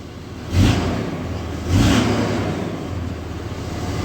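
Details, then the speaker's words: 2003 Dodge Ram 3500 dually diesel, first start after repairs: settles into a steady low rumble with two brief rev blips rising and falling cleanly; oil pressure up, charging, normal running. "Well, she's running. Oil pressure is up. It's charging."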